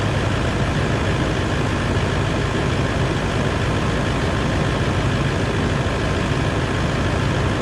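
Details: Toyota 200 Series LandCruiser diesel at idle after a water pump change and coolant refill, warming up. Steady, even diesel clatter with no rhythm changes, knocks or squeals. Normal idle.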